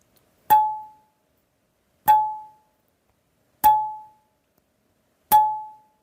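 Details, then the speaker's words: Pat Norris springy arrow rest, now installed on a recurve bow, plucked four times: each is a clear metallic ping ringing about half a second, sounding different from uninstalled. The resonance was then damped with 7–8 mm closed-cell craft foam. "Now, revisiting this one more time. Once it's installed, it actually has a bit of a different sound."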